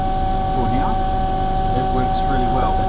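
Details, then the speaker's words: Omni/EconoHeat/Morrheat waste oil heater burner after cleaning and nozzle service, unit about 20 years in use; steady even roar, constant tones, no flutter or surging, burner heating and catching fire; firing cleanly, normal operation. "now the bur is going good it's heating it and it's catching fire I know this isn't 100% um ideal"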